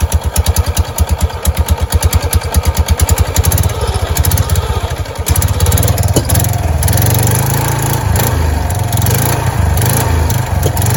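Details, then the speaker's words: Kawasaki Prairie 300 ATV, CVT cover removed and snake remains found inside: starts with a putting sound and settles to a steady idle, no scraping or rattle from the belt area; the earlier noise is gone, owner suspects the snake caused it. "Well, that noise has gone away since I took the cover off. I wonder if it was because of that snake."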